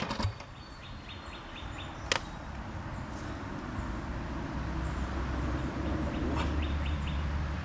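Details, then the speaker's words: Small walk-behind mower engine, first start after hydrolock from gasoline in the crankcase and an oil drain: it catches and runs ragged, sputtering and spitting liquid while still clearing leftover fuel. "What a sputtering. I can't see. You saw I'm getting hit with liquid."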